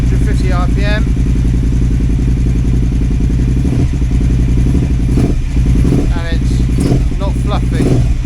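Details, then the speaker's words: KTM 950 Adventure S V-twin after new air intake, rejetting and throttle position sensor reset to 0.55 V: even steady idle around 1,250 rpm, unchanged while warming up; healthy. "Seems a lot better. Yeah. And when it's getting warm, the idle's not changing. So that sounds good to me."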